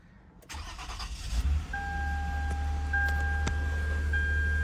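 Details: 2009 Toyota Venza that cranked but would not start, after the repair: brief crank, then catches cleanly and settles into a smooth, steady idle with no stumble; normal start.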